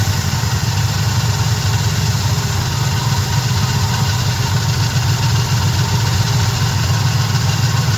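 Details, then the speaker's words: Small-block Chevy V8 truck after a carburetor swap, idle being adjusted, no tach: steady, even low rumble with no misses, knocks or hunting; smooth, healthy idle for the first time. "It ain't got a RPM gauge, but it sounds pretty good, though. Listen, you hear that? It's idling for the first time."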